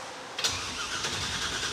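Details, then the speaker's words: Roadkill project car fitted with a replacement starter ordered for a 1997 Camaro application: steady whirring crank with no grinding or clicking. The starter works but the engine doesn't catch; the tank may be empty and spark is suspect. "nice the starter works any gas yet"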